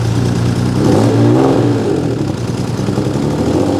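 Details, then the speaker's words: 1979 Honda CBX 1000 six-cylinder, about 15,000 miles, Delkevic 6-into-1 exhaust, cold start on choke: catches quickly, brief rev, then smooth, even idle with no misses or knocks; healthy cold start, needs lengthy warm-up. "So, it will take quite a bit of warming up cuz it's got six cylinders and six pistons and lots of valves. We had it running yesterday. So, it's starting quite well and it doesn't sound like too fluffy either."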